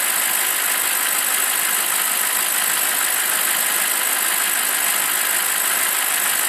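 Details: BMW 745i E65 V8 after a 2°C cold start whose clatter disappears after 1 min 20 s: warm idle with an even, steady hiss-like hum and no knocking or ticking; sounds healthy.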